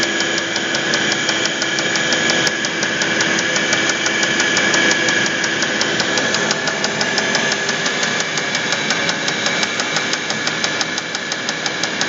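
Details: Audi A8 D3 engine with an evenly spaced sharp metallic knock about three times a second while running; connecting rod knock, with the connecting rod named as the cause.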